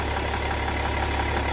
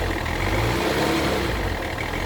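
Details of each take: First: BMW E60 M57 3.0 diesel, left side of engine: steady idle with faint airy puffing over the clatter, like false air escaping, some smoke seen there, with power loss; exhaust manifold damaged/leaking, replaced. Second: BMW E60 3.0d M57 diesel after exhaust manifold replacement (old manifold cracked, causing false-air hiss and power loss): smooth clean revs rising and falling through several blips, no hiss or chuffing; healthy.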